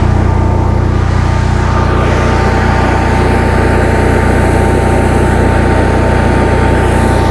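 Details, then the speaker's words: 2015 Cummins Power home standby generator, Briggs Vanguard engine, after rotor repair, warming up on a load bank at 3 kW, about 40 A at 240 V, 60 Hz: loud steady drone with even speed, no hunting or knocks. Running healthy under load. "This thing is quite quiet when it's running. Turn the load bank on, fans are going."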